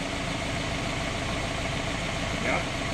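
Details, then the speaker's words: Route 66 car, first start of freshly rebuilt engine replacing one with a suspected rod-bearing knock, warming up as the thermostat nears opening, not yet driven: steady, even, smooth idle with no knocks, ticks or stumbles. Noises settled as it warmed. "It started up really nice. The idle, the noises, everything kind of kicked down as it warmed up and started to break itself in, so that's great."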